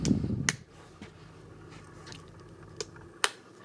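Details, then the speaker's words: Air Med Deluxe 8000 massage chair: sharp isolated relay clicks in a quiet room with no motor starting; only back vibrate works. Repair shop suspected motherboard (unsure); online reports and later diagnosis point to a failed transformer, since replaced. "But the other things, so you can hear them clicking. And so the guy at the repair shop seemed to think that it was the motherboard. He's not sure. But online, several people that had this problem said it was a transformer."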